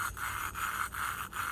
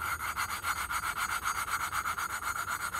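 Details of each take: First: Harbor Freight Predator 212 Hemi engine head valve lapped by hand with suction cup: rough gritty back-and-forth grinding, loud at first and getting quieter as valve and seat mate; seat not yet fully lapped. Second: Hemi Predator 212 engine valve being hand-lapped into its seat with compound and suction cup: steady back-and-forth gritty rubbing, about four strokes a second, loud at first and getting quieter as the valve seats in.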